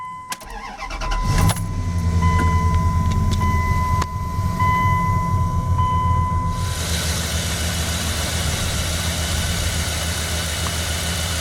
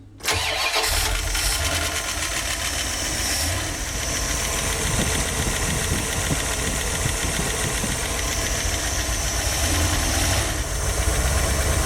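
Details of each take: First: 1989 Dodge B250 van with a 360, cold start: quick catch after short crank, then smooth even low idle with no ticking or misses; a healthy cold start. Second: 1989 Dodge B250 van, 360 V8 with GM-style HEI distributor, cold start: busy idle with fast, scattered light ticking all over the top end like rattling BBs; cause unknown, owner plans cam, distributor and drive gear replacement.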